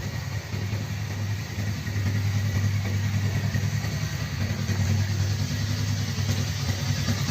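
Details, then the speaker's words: Freshly rebuilt Suzuki GSX250 gymkhana engine with forged piston, DL300 crankshaft and balancer, high-angle cam, slipper clutch and piggyback ECU, not yet broken in: low soft even idle, no knocks or rattles; owner says very quiet even in an underground garage. "The owner noted it's very quiet— it doesn't even echo in an underground garage."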